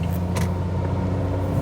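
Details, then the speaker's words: 2003 Renault Vel Satis 3.0 V6 turbo diesel automatic under way, with a gearbox tending to hold high revs: a smooth, deep, even six-cylinder drone with no knocks over the road rumble. A normal, healthy diesel. "I love a six-cylinder diesel. Takes me back to the Volkswagen LTS, the original big boxy shape, and uh the Volvo 740 turbo diesel."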